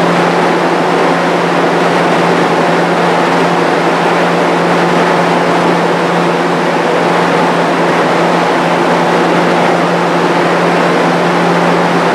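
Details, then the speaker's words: Restored, powder-coated Jenny fan with a variable-speed-capable motor, running while sitting on wooden blocks: a smooth, constant low hum and steady air rush with no vibration, wobble, rattle or grinding; normal fan running. "seems like it's running really smooth I don't have any vibration in it"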